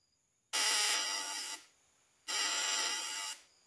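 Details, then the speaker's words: Breaker-points vibrator buzz test with a faulty condenser: two harsh, gritty one-second bursts instead of a clean ring; the points spark too heavily and the secondary coil gives only about 50–70 V AC, so the condenser is bad. "kita cek lagi yang kondensor nilai dari suaranya sudah jelas Sudah ngorok suaranya"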